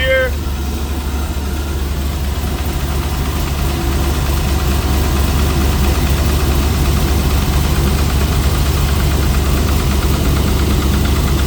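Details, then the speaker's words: Trans Am WS6 LS1 with a big cam, idling for the first time in weeks: a loud, choppy idle with an uneven lope of about two beats per second, all eight firing on good plug wires; a normal, healthy big-cam idle. "it appears we are firing on all eight eight good plug wires"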